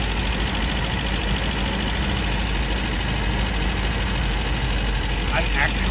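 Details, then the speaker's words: 1969 MGB after carburettors were balanced: steady, even idle with no misses but sitting a touch high and fast; idle speed needs turning down. "the fast idle screw is way too in and it is making it roll so I can't believe it so now it's firing more evenly and I'm it's cruising a little fast I might turn it down some but that's certainly better"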